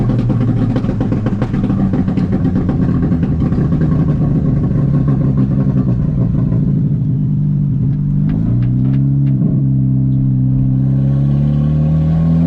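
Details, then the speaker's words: VW GTI on a test drive after fixing random and all-four-cylinder misfires: engine pulls cleanly through the revs, pitch climbing evenly between shifts, no stumble or miss, no transmission slipping, though shifts felt a little aggressive; runs normally under acceleration. "And things were running great. I had absolutely no misfires, no transmission slipping. Um, I really had no issues. The car ran fine."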